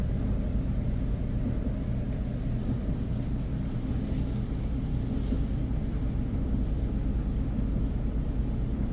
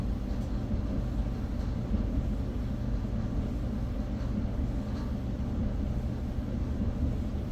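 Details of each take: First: Whirlpool dryer with a broken blower wheel: it runs with a heavy, uneven low rumble and dull, irregular thumping underneath. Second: Whirlpool dryer from a blower-wheel repair: a steady, even low rumble with no scraping, rattling or thumping, so the drum and blower are running smoothly.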